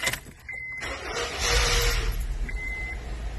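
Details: 2007 Honda Fit, check engine light flashing, misfire code on one cylinder: just-started engine idles unevenly with a lumpy stumbling beat; swapping coils moved the misfire, confirming a failing ignition coil.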